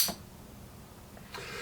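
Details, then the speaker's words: Miles Hivolt IT30 hipot insulation tester at about 10 kV output: brief click, then sharp steady sizzling hiss as high voltage flashes over at the open output connector, which needs an insulated mating plug. "well unfortunately I don't think we're going to back to go over 10 kilovolts because this connectors breaking down I think it needs a an insulated plug in it"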